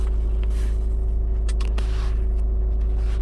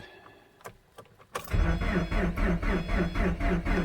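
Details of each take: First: 2010 Subaru Forester 2.5 JDM replacement engine with cold no-start below -12 °C, on a warmer day: starts perfectly and settles into low, even idle with steady pulse, no misses or knocks; normal idle. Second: 2010 Subaru Forester 2.5 with replaced low-mileage JDM engine, cold morning at −25°C after sitting overnight, new coil fitted, no codes: a few clicks then steady cranking about four beats a second, never catches; crank no-start fixed by new starter.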